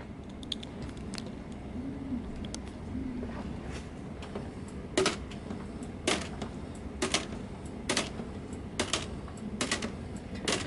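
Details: Rock-Ola 5000 CD Gala jukebox page unit after repair (30-year gunked gearbox cleaned, oily motor brushes): crisp even clacks about once a second over quiet motor hum, pages flipping reliably.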